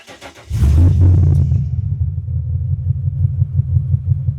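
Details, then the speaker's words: 1942 Ford Jailbar pickup with a 5-litre 302 EFI V8 from an AU Falcon, twin 3-inch exhaust with two mufflers, battery at only 11.4 V after sitting: brief cranking, a quick catch, then an even burbling idle with no misses or knocks. "Yeah, sounds pretty good. Yeah, she's running pretty damn good, I must say."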